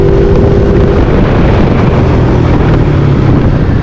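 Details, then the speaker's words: GY6 scooter (150cc or 50cc class) after electric fuel pump install, vacuum system and tip switch deleted, 120 main jet: engine drone pulls up smoothly under throttle through wind rush, no stumble or bogging; normal acceleration. "Yeah, no bogging issues at all."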